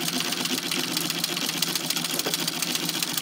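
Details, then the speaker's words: Singer 127 sewing machine after replacing the shuttle carrier, whose spring was damaged, and adjusting clearance: even, light whirring with soft quick ticking. The earlier heavy clunking and clicking are gone; it runs quiet and healthy. "much quieter now no clunky clunky clunk"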